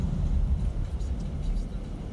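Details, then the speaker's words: Car rolling and slowing after six-month-old brake pads that squealed were removed and refitted to seat properly on the disc: only a low even rumble, no brake squeal anymore. "e o carro não fiz barulho mais"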